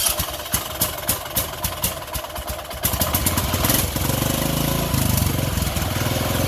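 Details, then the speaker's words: Craftsman LT1000 lawn tractor after engine swap to about a 16.5 hp Briggs using the old carburetor, started on choke: a few cranking ticks, then firm, even drone with no knock, quieter than the old 17.5 hp engine. "Don't sound as bad as the old one either. Ah, it works too."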